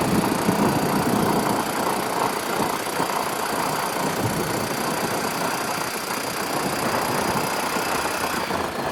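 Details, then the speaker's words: 1992 Club Car DS gas golf cart, single-cylinder, after carburetor change, magneto cleaning and transaxle repair, cold: putting along at a fairly steady idle with no knocks or misses; no-start issue fixed, running properly. "Transaxle transmissions repaired. Enginees running. It's a little cold nature to start with for right now, but I think we just need to run it a little bit more."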